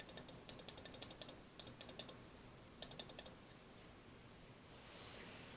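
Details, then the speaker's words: Honda CR-V fuel system relay bench-tested with 12 volts from a battery: crisp bursts of sharp clicks as the relay switches properly; continuity across the terminals still to be checked. "you can hear an audible click so we want to make sure that there's power across these two terminals or that there's continuity over these two terminals"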